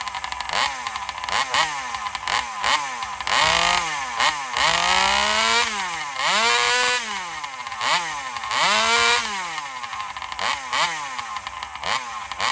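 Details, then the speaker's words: Alcohol-fuelled chainsaw in a test cut after a fuel line swap, previously starving for fuel in longer cuts. Revs surge repeatedly, pitch climbing and sagging through each cut; confirmed lean running from fuel starvation. Owner plans a bigger fuel line or metering lever adjustment. "right, so there it is. My assumption, I think, is pretty much spot on. She's just, starving for fuel."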